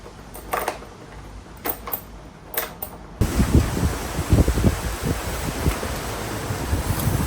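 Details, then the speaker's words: Freshly rebuilt KTM 250 SX-F single, run outside after oil top-up: clicks and handling, then fires and runs a steady even beat without knocks or rattles; no water in oil, runs virtually flawlessly; normal running. "The CXF is pretty much done now. It's run virtually flawlessly."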